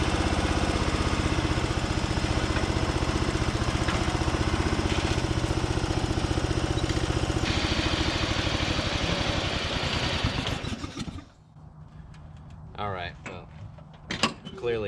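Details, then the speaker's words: 2004 Craftsman DYT4000 mower engine, abandoned machine; choppy, uneven chugging for ten seconds then dies, carb issues and some tensioner pulley noise on the drive belt; rough running, carb cleaning and valve adjustment planned. "yeah obviously some some carb issues and i can hear a little bit of noise from those uh tensioner pulleys on the drive belt"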